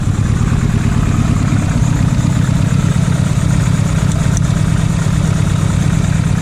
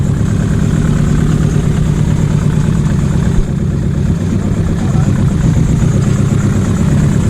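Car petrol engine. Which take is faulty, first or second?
second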